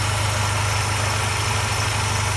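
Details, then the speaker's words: Mercedes M111 engine, nearly 400,000 km, after oil pump repair and sump cleaning (hydraulic lifters had been knocking after oil flush): smooth steady idle rumble, no ticking from the top end; normal idle. "компенсаторы не стучат так что пацаны белого бывает не всегда компенсатора дело может быть вот тут вот в этой херни [ __ ] в насосе"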